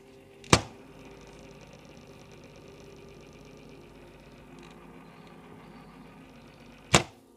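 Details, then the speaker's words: RGB gaming PC case fan with sealed sleeve bearing, tested before repair: quiet steady hum with a faint buzzing rattle; fan vibrates from dust and old sticky grease in the bearing, fixed by opening, cleaning and lubricating. "The fan vibrates and makes a strange sound If it spins on the base, vibrations will make noise in the PC"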